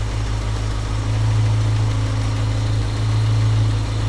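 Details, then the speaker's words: Small-block Chevrolet in panel truck, carburetor base tune after idle mixture screw adjustment: smooth steady idle about 700 rpm at 20 inches of vacuum, even deep rumble, no misses; healthy idle. "Okay, so we're at 20 inches of vacuum. We're at about 700 RPM. That feels about good. That seems like a decent bass tune."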